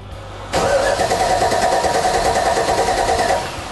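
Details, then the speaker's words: Toyota Land Cruiser 40 series big high-compression engine after fitting two new Exide Orbital maintenance-free batteries (2,000 cranking amps): quick, strong cranking, catches within a few turns, steady idle; battery and starting problem fixed. "Plenty more grunt."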